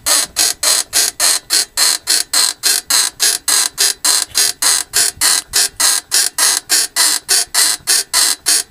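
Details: Mercedes W220 rear creaking: sharp, high squeaky creaks repeating evenly nearly two a second with nothing underneath; rear suspension creak of unknown origin.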